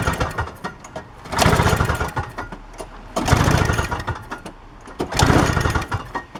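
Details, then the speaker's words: Toro CCR 2450/3650 two-stroke, after carburetor cleaning and replacing a bad oil/gas mixture with fresh fuel: it holds full throttle off choke, revs rising and falling slightly but no longer dying; now running properly. "yeah now it's running on full doesn't shut off no more all that's it all right it's running good now that's it I guess it's all cleaned out"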